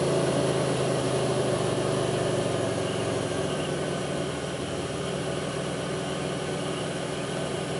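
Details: 2002 Pontiac Grand Prix 3800 V6 at idle, no check-engine light, alternator overheating; faint intermittent thumping pulls the idle down. Uneven idle with a loose irregular thump about three times a second under steady drone: rough idle, cause unclear.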